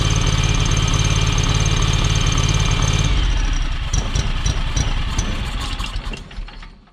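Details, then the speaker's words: John Deere X585 small twin, hours unknown (busted dash reads 787, possibly 1787), after cycling the key to fill the new fuel filter: uneven, lumpy beat before shutdown and coast-down. Still running rough; owner suspects the valves need adjusting. "Alright, so that didn't help it. So I'm guessing we need to adjust the valves before we go any farther."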